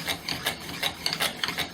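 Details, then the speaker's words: Friction fire-making drill on a purple heart and walnut set: a rhythmic dry rasp about three strokes per second with no squeak. The earlier squeak meant glaze, which has now been broken through, so the drill has friction and is starting to smoke. "it was squeaking which means that we got to bust through that that glaze and we did so now we have friction so let's see how we do"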